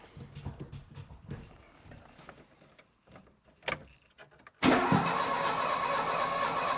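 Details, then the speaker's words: 1970s Mk1 Ford Fiesta after valve clearance adjustment, cranked with cam cover and ignition leads off: even pulses about four per second with no firing; judged to sound a bit better, compression test still to come. "And I'm just going to turn it over because I'll know straight away by the way it sounds when it turns over if it's got any more compression than before."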